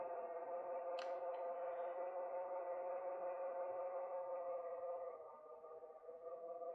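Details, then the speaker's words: Thomas Kinkade Hawthorne Village animated Christmas piece, small drive motor: steady mid-pitched hum, even tone, no knocking or scraping; relatively quiet compared to most animated pieces, running normally. "It's nice and quiet. You can hear it, of course, but it's relatively quiet compared to most other animated pieces."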